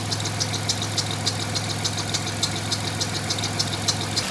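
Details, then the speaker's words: 1996 Grand Caravan, warm idle after fixing a vacuum leak: steady low hum with light, even ticking about three times a second; the hiss is gone, clean healthy idle. "There we are. No more hiss. Bunch of squeaking, but that's sorted."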